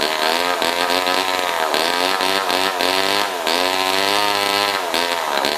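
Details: Old Homelite chainsaw left outside in a scrap pile over a year: high, buzzy two-stroke note rising and falling with throttle blips, picking up smoothly each time; runs fine.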